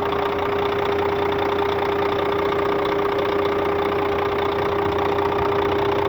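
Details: Scania K400 bus, DC13 13-litre 400 hp diesel, at normal operating temperature: a steady mid-pitched whine rides over the idle with a faint regular beat; the owner reports a strange engine noise, cause not yet found.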